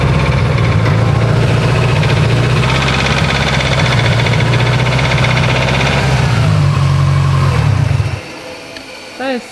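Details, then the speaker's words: Freshly built Subaru STI engine after 80 miles: heavy rapid knocking, about three to four a second, over rough running before shutoff; owner calls it rod knock, unconfirmed. "loud damn rod knocks this motor lasted 80 miles and just decided to rod knock on me"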